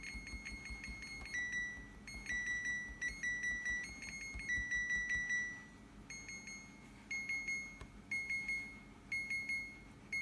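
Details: Second-hand fridge: short high beeps repeating about once a second in uneven groups over a quiet room; alarm keeps sounding, cause unknown.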